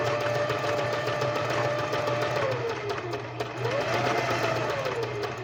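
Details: Singer sewing machine running after its routine 6-monthly cleaning and maintenance: even motor hum with soft stitching patter around three per second, rising and easing with speed; purrs smoothly, normal running.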